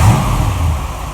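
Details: 1947 Ford Tudor street rod, freshly rebuilt zero-mile V8 with new 9.5:1 pistons and Holley carb: whistle cured, traced to the carb base; stuck-open secondaries freed; deep even rumble with a short blip and settle, no whistle.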